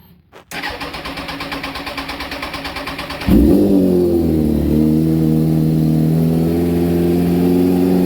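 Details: 2004 Kawasaki ZX-10R, lowered and just finished being built, after only a brief earlier warm-up: cold start with about three seconds of cranking, then it catches instantly, flares and settles to a smooth, fast idle. A normal, healthy cold start.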